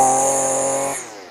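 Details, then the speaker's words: Husqvarna 128LD trimmer after carb adjustment (both screws out 1¼ turns, high-speed screw fine-tuned, not too rich): high, clean two-stroke scream held steady, then a clean drop off throttle; crisp, normal throttle response with no bog. "Let's see how the throttle response is with that oh beautiful"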